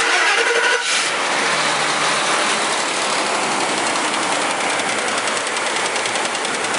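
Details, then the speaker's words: 2004 Mercury Mountaineer 4.6 V8, cold start at high idle: a fast, uneven ticky rattle. It is a loose timing chain, fitted earlier with new guides, slapping a broken guide. "And one thing you'll notice when I start it up, you'll hear this ticky rattle rattle, ticky ticky kind of sound."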